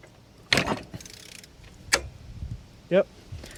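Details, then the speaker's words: Mercedes-Benz A350 M276 V6, engine turned slowly by hand with cover open: sharp metallic snaps seconds apart as the cam adjuster pops out of step; cause of the cold-start rattle. "Heard that? That snapping action right there. that will cause the rattle on startup"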